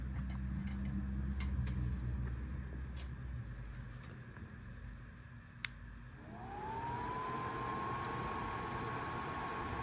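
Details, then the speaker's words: Panasonic microwave blower motor (F401W6Z80AP), run outside the microwave with a 6 µF capacitor, white wire selected for medium speed (black is high, gray is low): spins up, then holds a smooth, steady moderate tone; normal running at medium speed. "see black was the fastest one white is medium gray is the lowest"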